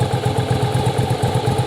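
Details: Yamaha Virago V-twin, parts-bike restore/rebuild for a cafe build, idling while ignition timing is checked with a strobe: even, loping twin-cylinder idle, steady pulses about six per second, no misses or clatter; normal idle, timing right.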